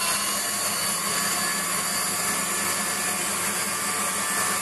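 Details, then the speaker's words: Waldown/Dumore tool post grinder internally grinding a bronze bush on a lathe, judged by sound because Sharpie can't reach: high hissing grind with a steady low pulsing under it. Uneven contact, so the bore is not yet true. "you can see here it's got a bit to do there you can tell what the sound also where that it's grinding constantly or whether it's it's only touching in certain places"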